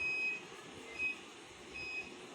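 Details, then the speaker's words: Continental Power Care 60 V 15 A inverter/charger after capacitor repair, running fan on inverter: short high beeps about once a second over faint hum, overload alarm. "Inverter से चल रहा है हमारा। हमारा overload पर जा रहा था।"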